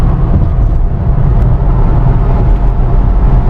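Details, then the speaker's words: Steady road and wind rumble in a Mustang in 6th gear at 60–80 mph test drive after repair; no more underbody rattle, a loose piece remains but clips no longer rub metal on metal underneath. "I hear some wind, but no rattling. And that piece, it's still a little bit loose, but there's no metal on metal action like how those clips sounded rubbing against the metal down there."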